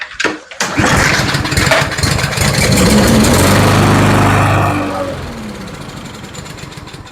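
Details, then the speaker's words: Troy-Bilt TB230B XP push mower, Briggs and Stratton E-Series engine with plastic carburetor, no-start: after fuel sprayed into the intake, a pull gives a brief ragged run that dies within about four seconds; spark present, carburetor needs cleaning. "Great, so it ran on that fuel. We know that we have spark. We just need to go through the carburetor and make sure it gets cleaned."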